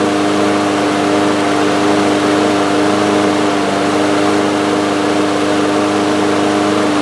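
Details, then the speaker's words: Two-year-old DeWalt mower with Briggs & Stratton engine, after a new carburetor main jet, starting on first pull: steady drone sitting noticeably high in pitch; running too fast, governor adjustment expected. "Well, it's running. It started up on the first pull. Seems to be running a little fast."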